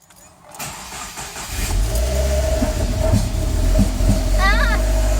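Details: 2015 Subaru WRX with Mishimoto intake, EGR and TGV deletes, catless J-pipe, cold start: cranks, catches, settles into lumpy uneven idle; rough cold-start idle from stratified fueling, later smooth once tuner disabled it.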